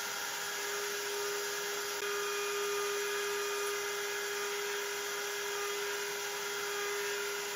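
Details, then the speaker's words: Genmitsu 3030 PROVer MAX desktop CNC with Makita 1.25HP router replacing the 300W spindle, cutting 6061 aluminum: steady high spindle whine and even cutting hiss, no vibration or chatter; smooth milling. "it sounds much better I can't hear the vibration anymore the cut looks much cleaner"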